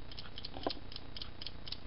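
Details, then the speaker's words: Brother knitting machine carriage with stuck, unresponsive buttons after one button pulled with pliers: light, loose clicking about four times a second as it is shaken, like a loose part inside; it shouldn't rattle, internal rattle. "that's the problem buttons still aren't working and she knew it's not supposed to Rattle like that"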